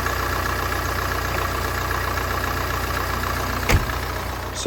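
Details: Mini Cooper D diesel after crank pulley and belt refitted; even steady idle clatter with no rattle or knock, a couple of clicks near the end; earlier brick-in-washing-machine rattle gone, sounds good, normal idle.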